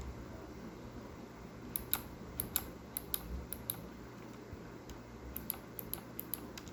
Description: corsair k65 clicking noise, so bad it seems like a blue switch..... those are cherry reds